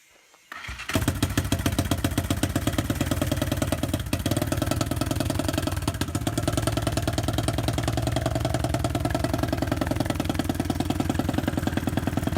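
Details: BSE J10 four-valve single-cylinder dirt bike after repairs (valves adjusted, air filter cleaned): catches right away and settles into a steady, even beat with no knocks or misses; healthy, though carb still needs some tuning.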